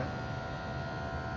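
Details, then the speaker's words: MG S9 Hybrid, about 3,000 km: steady mid-pitched buzz holding one even tone over low background hum; an ongoing unexplained noise, owner unsure if normal, suspects cooling. "I don't know what the hell that is. Might be cooling. Wonder if that is normal."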